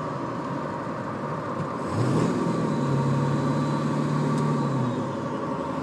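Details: Ford 7.3 diesel: a steady low hum comes in over the diesel rumble, holds about three seconds then fades; source unclear.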